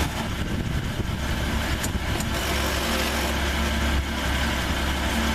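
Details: Jeep chased for a rattle since a rear main seal repair, later traced to a bent skid plate: steady, even idle with a deep exhaust drone and no rattle or buzzing underneath; normal idle.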